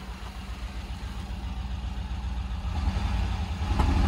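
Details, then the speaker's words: 1990 Range Rover Classic after new remanufactured fuel pump and filter, return lines temporarily rubber: low throbbing idle with a loping, uneven pulse that swells and sags, not put in gear, no gauges; running but rough. "i'm not going to put in gear but it's running it's not super happy i don't have any gauges but she's uh she's cooking with gasoline"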